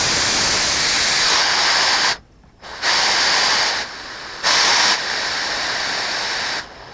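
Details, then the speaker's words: Chip-blower air line on a Delta 16-inch scroll saw, fed through an adjustable valve on a homemade aluminum bracket: a steady airy hiss cuts in and out as the air is switched; even, healthy airflow. "Comes out here. Hooks right there. And that blows the chips away. You might be able to hear it if I turn it on."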